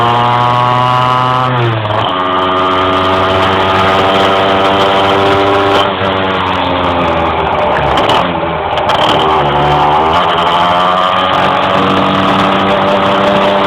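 The revs climb slowly, then sag and recover in uneven surges while driving; the engine hesitates under load, cause unclear.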